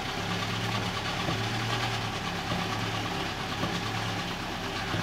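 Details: Toyota Avanza petrol engine at idle: light metallic rattle ticking about once a second; mechanic notes the sound changes when the clutch is pressed; cause unconfirmed.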